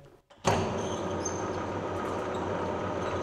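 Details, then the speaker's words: 1950s Czech TOS C-45 lathe in its second-slowest gear, range 28–710 rpm: after a start-up thump it settles into a steady, even gear hum with no knocking or whine, noticeably quieter than the slowest gear. It runs normally. "Nyt on hittain vai? Tän toiseksi hittain."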